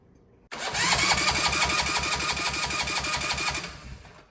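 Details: 168F 3.5 HP Chinese single-cylinder diesel after conversion from pull start to an electric start kit, throttle just off idle: even cranking at about four compression pulses a second, strong without firing; normal starter cranking.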